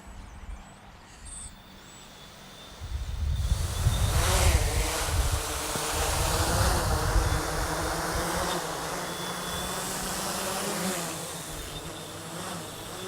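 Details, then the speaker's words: Hexacopter 550 (NAZA V2, barely worn 40A ESCs) in GPS mode: multirotor hum jumps sharply then swells and sags unevenly with no throttle input; motors surge on their own whenever it leaves the ground, cause unknown. "it's like it's like any time it gets off the ground it's saying no don't do that"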